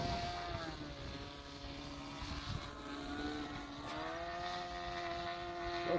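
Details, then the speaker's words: Rebuilt Sig Kougar RC plane on its maiden flight: high-pitched two-stroke buzz whose pitch sags and rises unevenly. It sounds rough, sagging as it leans out; the owner suspects it needs a bearing, unconfirmed. "sounds like it's running a little red. I think it needs bearing."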